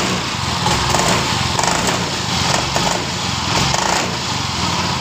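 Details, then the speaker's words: Yamaha Mio Fino scooter that runs normally when cold but stumbles (brebet) after long use when hot, regardless of fuel amount; uneven idle with buzzing vibration from the rear pulley, and slack in the throttle cable. "Dengar ya teman-teman, suara brebet dan suara getar di bagian puli belakangnya."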